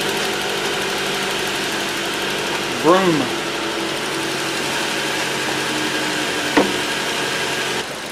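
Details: 2012 Ford Transit Connect that would not run after the customer replaced the harmonic balancer and the keyless crank lost timing; after retiming, the engine catches and settles into a steady, even idle with no knock or stumble.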